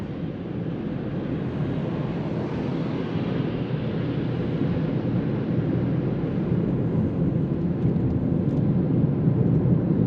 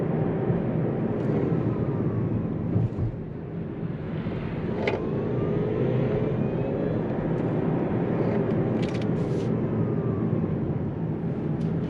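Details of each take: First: Hyundai Kona Electric, about 35,600 km, road test on a snowy, refrozen road with the cabin heater off to avoid stray noise: only a steady tyre and road rush rising with speed, no motor whine or growl; the drive is quiet. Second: Kia Niro EV / Hyundai Kona Electric on road test after reduction gearbox bearing replacement: faint whine over road roar, rising with speed and under load like a rough bearing; quieter than before but still present, suspected worn drive motor rotor bearing.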